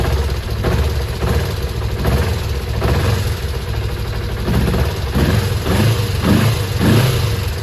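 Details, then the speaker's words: Kawasaki ZZR250 twin track bike under restoration, after an oil change: steady low idle burble, then picks up cleanly on several throttle blips, no smoke; sounds healthy. "No smoke, sounds good with the new oil. Happy days."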